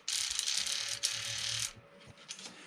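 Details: Old Privileg vibration massager DC motor after worn-bearing repair, drawing about 70 mA: fast even buzz for about a second and a half then stops; running normally, sound much better.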